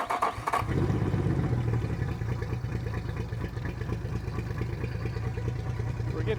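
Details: 2003 Yamaha 225 four-stroke outboard, 361 hours, on a flush hose; catches and settles into a lumpy, uneven lumbering lope with a stumbling beat, a misfire traced to a pinched wire causing false readings and poor performance.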